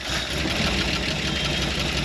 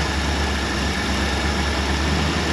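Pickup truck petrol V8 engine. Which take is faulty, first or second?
first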